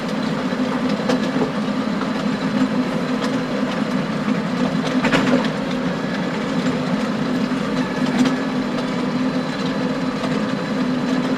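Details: Stones hitting the power harrow tines behind a John Deere 6920 tractor in very wet, stony ground, irregular sharp clacks and bangs scattered through a steady heavy drone; stones previously broke a tine.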